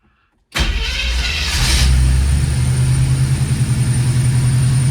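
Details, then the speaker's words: Studebaker Champ pickup (1960 or 1964 model) converted to fuel injection: cranks briefly after the fuel pump primes, catches with no accelerator pumping and settles into a steady, even idle with good vacuum; healthy cold start. "That's pretty good for an old 60 model or 64 model pickup. No pumping the accelerator or anything like that."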